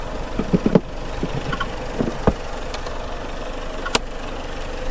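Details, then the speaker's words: Copart car idling after jump-pack start, put in gear: smooth idle with scattered irregular light clicks and rattles; owner suspects a rattling pulley on the front accessories, cause unconfirmed. "now it does make this weird little noise sound like a pulley rattling but I don't know what do you think man it kind of sounds like a pulley rattling"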